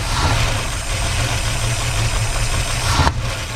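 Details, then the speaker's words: Van V8 first started after 15 years of sitting, on starting fluid after new plugs, wires, cap and rotor: uneven loping idle, heavy smoke, loose shaking belt slapping; rough running after long storage. "it is really smoking up and you see that the fan belt is going on it's shaking a little bit but yeah the van is running now"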